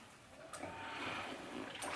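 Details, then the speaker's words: OpenVentilator Spartan Mk1 (~$200 ventilator) running: soft watery bubbling swells and fades with each breath cycle over a faint pump hum. It bubbles only while the pump inhales and the patient exhales, out the PEEP tube. Normal PEEP valve venting. "And so you can see that it's bubbling only while the pump is inhaling and the patient is exhaling, and that's going out through the PEEP tube over there."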